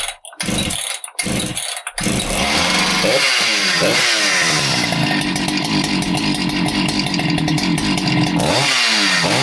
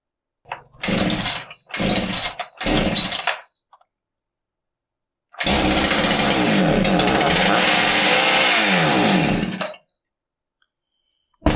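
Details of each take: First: Husqvarna 395XP chainsaw that started then died, after fixing an air leak between carburetor and intake boot that caused lean running: fires after a few pulls, idles steadily and revs up cleanly. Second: Husqvarna 395XP chainsaw starts but won't idle: three brief sputters, then a wandering, surging run for four seconds before it dies. It sounds starved for fuel or like an air leak, ignition not ruled out; the finding is lean running from an intake air leak.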